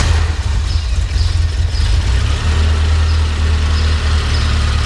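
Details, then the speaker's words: 1985 Alfa Romeo Spider Veloce, cold start: engine settles into a steady, even low idle with no misses, knocks or rattles, light rev; stalled when revved before warm-up; normal cold start. "That's a straight cold start. Go ahead and rev it up just a little. It sounds good."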